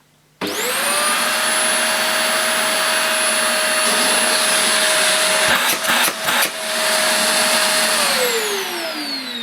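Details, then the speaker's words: Vax Air 3 Total Home upright vacuum, new, suction motor run with brushes off: spins up to a smooth steady high whine, holds constant, winds down evenly; no rattle or rubbing, acceptable noise level. "That's not a bad sound. That's quite an acceptable noise level for me. That's not bad at all."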